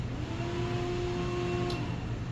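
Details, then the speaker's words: Porsche 914 electric conversion battery cooling system, triggered by the V2 console heat-enable command: a quick relay click, then a smooth whir rising evenly as the radiator fan and pump spin up. Healthy; it shuts off after about two seconds. "now what's interesting is I hear the relay click over here which is part of the logic that drives the fan we can hear the fan and I think the pump I think both of them are spinning up"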